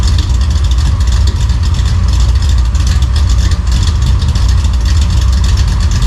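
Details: 1955 Chevy V8 with newly installed home-built dual exhaust gives a deep, burbling, even and muffled rumble with no rattles or leaks. It is healthy, maybe a little quieter than hoped.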